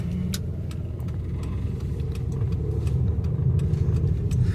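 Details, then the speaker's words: 2005 Chevy Impala, transmission not shifting out of first, stalled at stops; rough uneven idle with irregular stumbles and power surging back and forth, engine misfiring; suspected transmission oil pump or an added issue. "It's all really bad feeling. I can't quite like I said, it's stumbling really bad."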